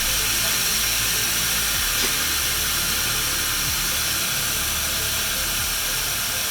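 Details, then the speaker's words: Home-built 6 kW mountain eBike, key on, lifted while testing: loud continuous airy hiss with no rhythm, air escaping steadily from a leaking tire. "oh it's the uh it's the tire"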